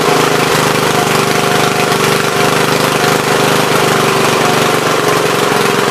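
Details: Troy-Bilt tiller after replacing bad spark plug: small single-cylinder runs at a steady, even speed with no misses or stumbles, running properly.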